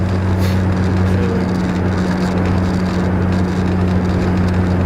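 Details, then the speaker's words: Truck test drive after replacing the driveshaft center support (carrier) bearing, which had caused clunking. Steady low cruising drone, smooth and even, with no knocks or clunks from the driveshaft. Driveline sounds healthy after the repair. "It was that carrier bearing. That was my problem. I mean, there ain't no shaking."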